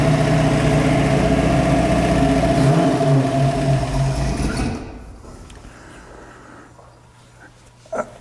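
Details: 1966 Mustang Fastback, new 347 stroker V8 with T5, on first start: the engine runs a quick, busy idle for a few seconds, then dies away. The idle sits too high on the untuned carburetor, whose idle screws are unadjusted.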